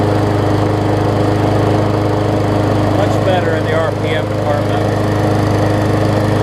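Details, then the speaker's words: Murray 20-inch 3.75 hp mulching push mower, long dormant with a stuck-open intake valve that was freed, after an oil change with Seafoam, new air filter, primer bulb and pull rope, and the governor vane freed: steady even buzz, no hunting, governor holding revs, running well. "put some seafoam in the oil and new oil so let's see how it runs now also kind of freed up that vein a little bit for the uh for the governor"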